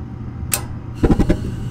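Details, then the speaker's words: Gas furnace with a hot surface ignitor, normal start-up sequence with the ignitor fully plugged in: a steady low inducer motor hum with a sharp click and a few brief clunks; the ignitor glows bright orange, then the gas valve opens and the burners light. "so once again the inducer motor comes on this time i have it plugged in all the way and there goes my hot surface igniter as you can see it's glowing bright orange like that"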